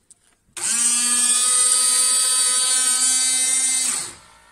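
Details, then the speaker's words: Window washer pump started by pulling the wiper stalk further back: steady high electric whine for about three and a half seconds at even pitch, then stops cleanly; normal washer pump operation. "if we keep pulling back it is a button that also starts the window cleaner and we can hear that it will put the pump to flush water back"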